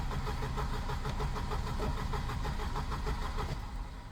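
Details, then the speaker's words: Volvo 240 with K-Jet (CIS) fuel injection on a large donor start-stop battery: strong, even starter cranking at about three compressions a second for four seconds, never catching; owner suspects it's not getting the right amount of fuel. "it has never cranked that well before Jesus Christ as you can see though for whatever reason it won't start"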